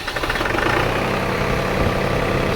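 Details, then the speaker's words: New Holland TN75DA diesel tractor that had been hard-starting and sputtered out and died, after replacing the pump (rubber piece at fault): steady even idle with firm low rumble, no misses or knocks; normal idle, fixed. "right up so that fixed it"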